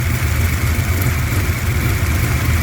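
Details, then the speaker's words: Cammed LT1 V8, hot, transmission fluid being checked: lumpy idle with a light, fast sewing-machine ticking on top. That's normal roller-rocker noise, not loose rockers. "To hear that sewing machine sound, a lot of people will say your rockers are too loose. No, those are roller rockers, and that's the noise they make. They make that sewing machine sound."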